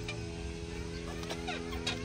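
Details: CF Moto 250 SR motorcycle: sharp, irregular clicks, about four in two seconds, over a steady idle hum from the rear swingarm pivot; dry pivot clicking for lack of lubrication, seal friction visible.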